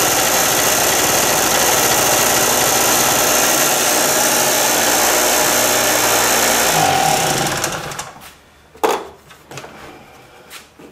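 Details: Harbor Freight mini generator left with fuel valve open in storage, flooded, spark confirmed, wet plug dried: buzzes at steady, even high speed, then dies around seven seconds; runs normally.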